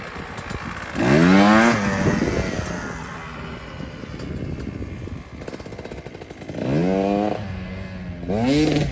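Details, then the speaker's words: KTM 150 XC-W two-stroke after suspension work, crisp throttle blips climbing and dropping back to a steady idle, picking up cleanly with no misfire or bogging; less smoke off idle than before; sounds okay, normal running. "Yeah. It sounds good, right? Yeah, sounds okay."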